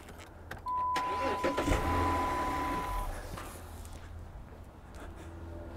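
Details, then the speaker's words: 2008 Dodge Charger after the faulty starter relay was replaced with a new one: the starter engages instantly when the key is turned, with no delay, and the engine catches straight away and settles into idle. "Check it out. What do you see right away? Instant. No delay."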